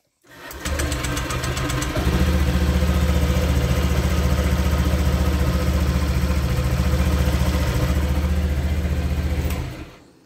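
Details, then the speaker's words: Used Honda Vario 150 scooter engine check: starts and settles into a steady, low, even idle with no knocking or rough sounds; healthy engine. "Nah, tidak ada suara kasar seharusnya di bagian mesin."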